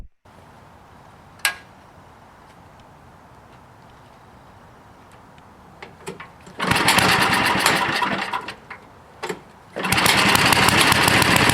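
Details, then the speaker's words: Toro 524 snowblower, Tecumseh H50 single-cylinder, after fixing a no-stay-running fault caused by a clogged gas cap: catches after a couple of pulls, briefly drops, then settles into a steady even buzz; running fine. "And I think we resolved the problem. I can't believe that's what it was. Clogged gas cap."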